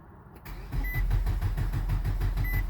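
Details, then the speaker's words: 2003 Nissan Altima four-cylinder that won't start: steady starter cranking, even beats about five a second, never catches; crank no start from faulty camshaft position sensor, to be replaced. "el problema de este carro es esto este que está que ese es el el sensor del del campo ser consenso ese es el sensor que no le permiten al carro encender"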